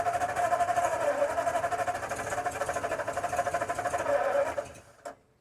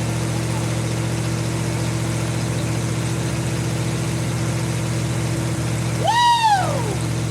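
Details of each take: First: 1952 Ford F-1 6-volt, first start in 28 years after carb rebuild, oil sludge cleanout, PerTronix ignition, new plugs, wires, cap, rotor, timing being adjusted: rhythmic starter churn about three beats a second, never catches; cranks but no start, out of gasoline. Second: 1952 Ford F-1 first start in 28 years, after an oil change, carb rebuild and new PerTronix ignition, plugs, wires, cap and rotor; it now runs at an even, steady low idle with a smooth hum after the choke was reduced, engine running cleanly.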